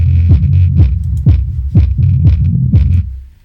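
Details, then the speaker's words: HK Audio Polar 8 subwoofer run alone with the top speaker disconnected: each bass thump, about two a second, carries a buzzy rattle. Suspected loose part or overdriven, damaged cone; the amplifier is not ruled out. "It sounds to me like something loose, or maybe this has been overdriven. I seem to find this quite a bit. Possibly a damaged speaker cone or something like that."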